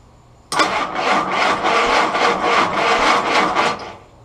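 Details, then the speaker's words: Willys L134 (Go Devil 4-134) Jeep engine cranking after distributor condenser replacement, number one spark plug out to check for spark: starter turns over in even pulses, about three and a half per second, with no firing; cranking only. "all right we're about to hit the starter see if we get any Spark"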